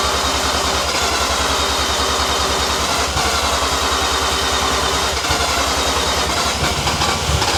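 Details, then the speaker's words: New Mazda 13B bridgeport rotary on first start attempt, no throttle, with long cranking expected to seal the rotors; steady rhythmic starter churn, several pulses a second, never catching; cranks but won't fire, cause unconfirmed. "you might need to um crank it for a while it may take time to build the all right for to seal the rotors"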